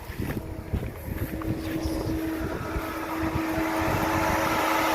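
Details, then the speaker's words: 1996 Toyota 4Runner with 3.4 V6, sat unstarted for two years, battery recharged with new terminals: aftermarket electric radiator fans engage with a steady, even mid-pitched whir that builds and holds. Fans still working properly. "you guys can hear my offense engaged so that's a good sign those guys are still working"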